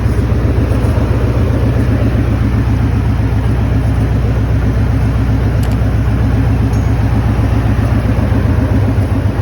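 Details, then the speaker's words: Maverick after flipping the idle air control valve back to its original orientation, which cured the high idle: low steady rumble at even speed, no surging or hunting; normal idle. "And as you saw in the video, the idle came down and it was running good."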